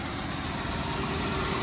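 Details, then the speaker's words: 1993 Cadillac Fleetwood Brougham after sitting a week, just fitted with a new belt tensioner and serpentine belt: starts strong and idles smoothly with an even low hum, no squeal, chirp or knock, charging at 13.3 volts. "I can't believe this car started right up with no strange noises with that new belt tensioner that I just put on here."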